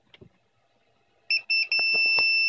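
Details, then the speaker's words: Da Vinci 1.0 3D printer extruder not heating: multimeter continuity check across the heating element plug leads gives short chirps then a steady high beep, so the heater winding is intact. "you have connotative you hear that so that means that the winding in the heating element is still good"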